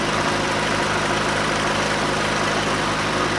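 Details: 1995 JDM Honda Civic Shuttle Beagle after replacing the faulty distributor that caused crank-no-start: steady, even idle with smooth low hum, no misses or knocks; running normally.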